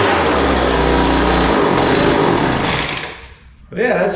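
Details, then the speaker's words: Poulan Pro 200mph two-stroke leaf blower, rich idle mixture leaned out and high-speed screw adjusted: high steady buzz that dips, then picks up cleanly on throttle; now runs smooth and even. "played with the top end until it uh hopefully you could hear it uh start running smooth after I adjusted the car rate a little bit"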